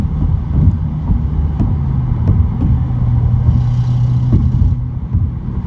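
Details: 2017 Subaru WRX recorded from the glove box in 3rd and 4th gear above 60, under hard load at high boost: faint scattered rattly, buzzing ticks over road rumble; turned out to be a boost leak.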